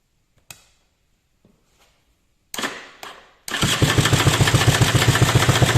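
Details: 2015 KTM 250 XC-W two-stroke after replacing the electric-start Bendix gear that caused no-crank and grinding: a few starter clunks, then it catches and settles into a quick, even beat with no grinding; it starts and runs healthy.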